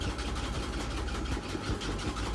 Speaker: yeah this is good i mean it's going at a thousand thirty and it doesn't even make that noise he was making before like around 700